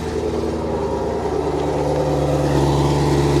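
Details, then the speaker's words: Chevrolet Camaro SS V8 with stock valved exhaust at idle, coolant reservoir empty: even deep burble, smooth steady pulse, quiet but healthy exhaust note; normal idle exhaust. "oh wow yeah yeah oh she sounds good let's get you back there hear that exhaust"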